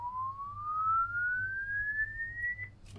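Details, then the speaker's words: LD Zone 622 two-zone rack mixer, channel four, LED stuck on permanently: clean sweep tone glides upward about three seconds with no crackle or dropout (earlier buzzing was a bad test lead); channel works normally. "but again, it's working the same. So those channels clearly work even though the LEDs are on permanently."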